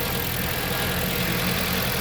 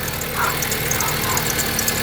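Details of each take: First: 2011 Jeep Compass 2.4L on a cold, dewy morning, when the belt usually squeaks, after replacing the idler pulleys and belt tensioner: steady, even idle with a low hum and no squeak or chirp from the accessory belt. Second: 2011 Jeep Compass 2.4L idling: quick, high chirps several times a second, bad belt squeal from a worn, wobbling idler pulley; idler and tensioner pulleys replaced.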